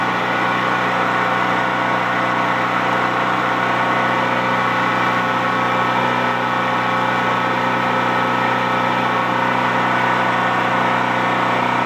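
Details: Used Champion C46540 generator after tune-up (cleaning, oil change, new spark plug, oiled air filter): steady even drone, constant pitch, no misses, knocks or surges over twelve seconds; normal running.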